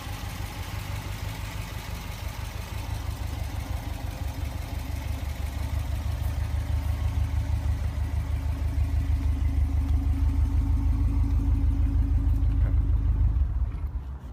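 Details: 2008 Subaru STI turbocharged petrol engine after a rebuild and a new turbo following a spun bearing: steady, even low idle pulse with no knocking, normal.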